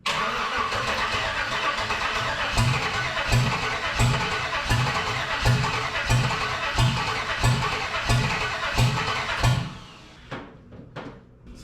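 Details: 1948 Dodge rat rod with an LS swap and spark confirmed: slow, steady cranking at about 1.5 beats per second for ten seconds without firing. Cranks but won't start because it is out of fuel.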